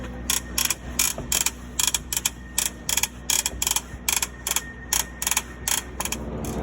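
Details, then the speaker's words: Cessna main landing gear: sharp, crackly pops in quick bursts, about two a second, first thought to come from inside the cockpit; traced to the axle rubbing and popping where it attaches to the strut through one bolt, with visible wear. "okay well it is definitely the axle where it attaches to the strut through that one bolt there so you can hear so you can actually see where it's been rubbing and popping there and there"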